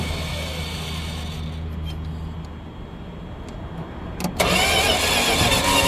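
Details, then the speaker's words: Dodge 318 V8 steadily cranks without catching, then gives a sudden harsh rushing burst as it tries to fire. It cranks without starting and pops back, with exhaust suspected of blowing up out of the carburetor, possibly a catastrophic failure. "I think we have something a little bit more catastrophic going on I don't know if you can hear that or not but I think we've got exhaust blowing up out of the carburetor it ain't looking good"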